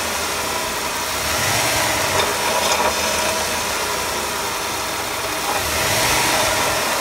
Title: Caravan engine noise II